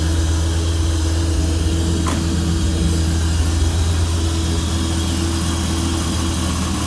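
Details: 1997 Dodge Viper GTS V10 after fixing a fuel pressure regulator leak-back, fuel gauge reading around 36: starts cleanly and settles into a steady, even low rumble with no misses or knocks; idles smoothly.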